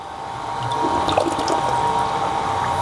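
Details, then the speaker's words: Electric household water pump drawing from a well (demo drawing from an aquarium) keeps running after the water runs out: steady hum near one kilohertz with sputtering, gurgling water and air; pump running dry. "Perhatikan ya sekarang air sumur udah habis Tapi pompa masih jalan terus ya kenegaraan bunyinya ya"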